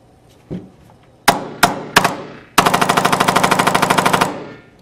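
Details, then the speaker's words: Tippmann X7 Phenom paintball marker that fired mechanically but not electronically, after greasing the trigger pad plug pin and reinstalling grip; three single cracks then rapid even burst, now firing in electronic mode. "can see that now works in the electronic mode and That's how you diagnose a firing issue with your tippmann x7 vino"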